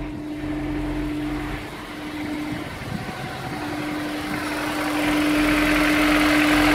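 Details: Honda S2000 cold start: cold idle with a steady hum and an even knock of about two a second underneath; suspected rod knock.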